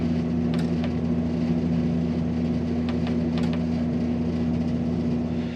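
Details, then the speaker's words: Amana PTAC PTC153E50AXXXAA after control board replacement (RSKP0013), cycling through fan speeds, including constant fan: a steady, even hum with smooth airflow and no rattle, scrape or wobble until it shuts off, so the fan motor runs normally. "Cycle through the fan speeds. That's working. Constant fan. I don't want that."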